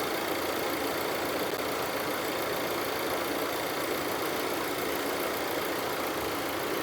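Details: Audi Q3 after hydrolock engine damage from deep water, rebuilt and refitted, started with AC off: smooth, even idle with steady hiss, no ticking, knocking or misses; running normally.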